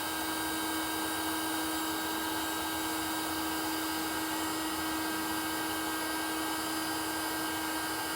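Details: NASUM hot air charcoal BBQ starter, a replacement unit after the first gave no heat, held close to charcoal in a Weber kettle: a constant high-pitched motor whine with a steady airy blow and no stutter; it is running normally.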